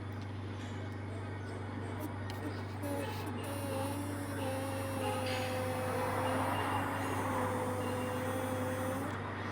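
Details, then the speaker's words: Renault Clio after timing belt and water pump job: thin steady buzz over a low hum, coming from the faulty brake booster check valve; replacing the valve cured it. "Esse é o barulhinho que ela faz, tá vendo? E tinha em funcionamento na na marcha lenta, ficava esse zumbido, esse zumbido"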